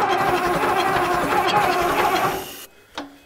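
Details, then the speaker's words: Old Case diesel tractor (called an 1896 Case), battery dead, cranking only on jump boxes with the intake heater on: an uneven starter grind with a rough loping beat for over two seconds, then it cuts out; cranking without firing. "that battery isn't doing jack nothing this thing's just literally just starting on the jump boxes only"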